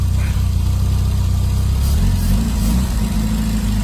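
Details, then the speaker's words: Carburetted donor engine after valve clearances, about half found way too tight, were reset one at a time per the manual, ignition timing checked spot on; steady even idle, no ticking or misses, carb may need slight tweak; normal idle. "So I've redone them properly as per the manual, one at a time. And that sounds a hell of a lot better now."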